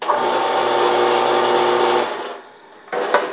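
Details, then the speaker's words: Old Harbor Freight 4x6 bandsaw run with the belt removed: smooth quiet motor hum spinning down cleanly, so the motor isn't the noise source; crunchy feel points to a likely bad bearing. "you can tell that the motor is really quiet which means this is not the problem"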